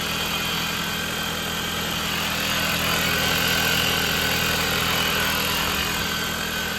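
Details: 2019 Dodge Journey after alternator and serpentine belt replacement: a steady, even idle with a light hiss on top and no squeal, chirp or knock from the belt; it sounds healthy.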